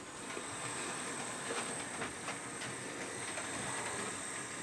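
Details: Hornby P2 Cock O' The North model locomotive running after its original motor was replaced: a quiet, even whirr with a soft hiss and light rail clicks and no grinding; normal smooth running.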